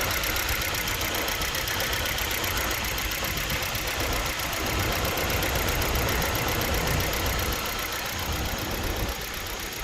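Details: Hyundai Verna with check engine light staying on, at idle: uneven idle with a loose stumbling beat around four per second, consistent with a misfire.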